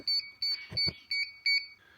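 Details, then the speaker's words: DJI Air 3S drone pairing with its controller: five short, high-pitched beeps about a third of a second apart, evenly spaced, the normal pairing tone. "Once you start the pairing process, you're going to hear these series of beeps like something is backing up. Wait for it to do its thing."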